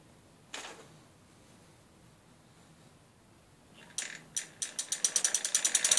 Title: bbs01 clicking sound